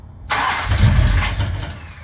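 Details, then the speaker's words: Plymouth Road Runner after engine overhaul and a year sitting, good pressure to the top of the motor after clearing a blockage: starts with a bark, revs briefly, then sags and fades within two seconds. Won't idle; owner suspects timing too retarded. "Knew it. Won't idle. Sounded good. Let's see if we can get an idle out of it this time."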